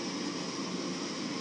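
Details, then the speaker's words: FrigidAire gas hot air furnace: steady inducer fan whoosh with no igniter click or burner light-off; gas valve opens briefly then shuts as flame not detected, no voltage from the Molex. "owing and after few seconds the gas R will click and open and then shut off rather quickly cuzz it's not detecting the plane"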